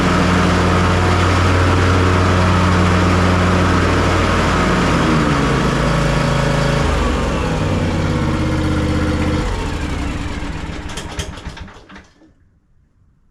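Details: John Deere S240 riding mower after repair of a deck that was loud and cutting uneven after hitting something, test run after leveling: smooth, even engine drone with steady tone, no knocks or squeals, winds down cleanly at shutoff; mower running healthy.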